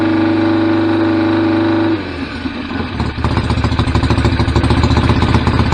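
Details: BSA A50 Royal Star twin, bought as a non-runner, first running after restoration with pattern straight-through exhaust pipes: catches and settles into a loud, slightly lumpy popping idle; owner unsure whether the air lever is fully off. Normal running.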